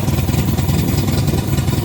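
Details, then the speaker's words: 1972 MGB with twin SU HIF44 carburetors: slow, lumpy, low-pitched thumping, engine barely ticking over; idle speed too low, to be raised and carbs balanced. "Nah, it's too low. I'm going to bring it up a little bit. You don't want your car barely running. That's not good."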